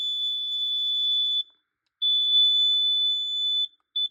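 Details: Carbon monoxide/gas detector in alarm from smoke test spray, its display reading "gas" rather than an actual gas reading: shrill high beeping in long steady bursts with short gaps.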